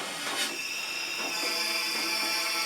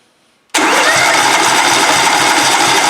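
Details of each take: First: During a leak-down test at up to 100 PSI with the engine turned over, a steady airy hiss with soft pulses reveals test air escaping through a wide-open exhaust valve; some leakage also heard via the intake. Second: Compression test cranking on a twin-cylinder engine with throttle held wide open and spark plugs disconnected. Steady, even chug of about three pulses a second with no skipped beats. Both cylinders read about 200 PSI, which is even and healthy.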